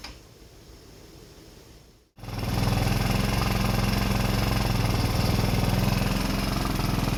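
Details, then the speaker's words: Rebuilt 150cc GY6 engine in a Blade 150 / RZR170 clone UTV, cold out, just started: catches after a couple of seconds into fast, slightly uneven chatter; smoke clearing, idle running high, nothing really hooked up yet. "It's cold out, but trying to stop smoking, that was what I was worried about. Running idle and high, but I gotta play with all that stuff."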